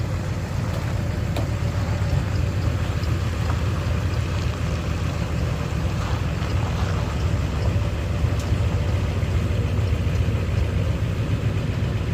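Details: Ford 7.3 Powerstroke diesel after replacing suspected bad crankshaft position (CPS) sensor for cutting out/no start: steady, even low rumble without stumbling or dying; running healthy about 10 minutes after fix.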